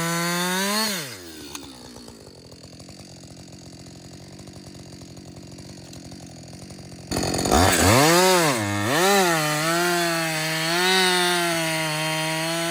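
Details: Husqvarna 562XP chainsaw after a shop software reflash for dying when hot, stumbling and not starting: it revs up, bogs into the cut, then picks back up cleanly with a steady scream and no stalling. First full tank run without stopping; healthy under load.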